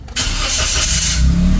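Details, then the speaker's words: Car that had long cranking before starting, after Wurth petrol treatment added to the gas tank (spark plugs, fuel filter already replaced, battery tested): brief crank, engine catches at once and settles into steady idle; one-click start. "Okay so one click na lang siya ulit"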